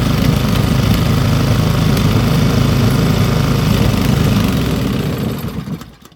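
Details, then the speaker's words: Old Briggs & Stratton single-cylinder petrol engine rescued from the trash, idle raised back up, now hot, almost too hot to touch; steady even beat of a few pops per second, then dies away as the kill wire is grounded — normal running. "pull the idle back up a little bit it's getting hot now though almost too hot to touch in places"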